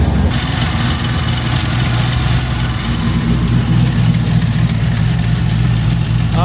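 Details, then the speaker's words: 1972 Chevelle RS with LS3 V8 just after its first start, following a new coil pack harness: deep, even burbling rumble with a steady beat, no knock or miss; normal V8 idle, though an adapter gasket still leaks oil. "But we got the first start, man. Super excited. It sounds amazing."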